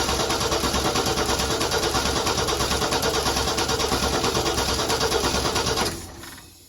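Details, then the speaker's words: Ford 4.9 (300) inline-six turbo, Comp 268 cam just installed, cranked with the valve cover off to check that Sharpie-marked pushrods rotate (lifters spinning): even starter cranking about three pulses a second, turns freely without firing; all pushrods turn. "And so what I'm doing is cranking it over and looking to see if all the push rods are turning. And I just did it and they all are"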